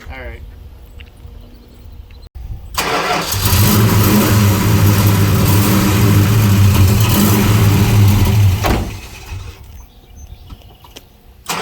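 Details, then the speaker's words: '75 Plymouth Roadrunner V8, after a carburetor fire: catches and runs loud and lumpy about five seconds then dies abruptly; backfires and stalls each time the gas pedal is touched. "Every time you touch the gas pedal, it backfires and stalls. We It runs great. Runs really good for like 2 seconds."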